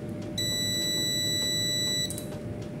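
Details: UPS after repair (faulty resistor replaced), green light now on instead of red: one steady high beep lasting under two seconds in a quiet room as the unit is switched off; normal working beep.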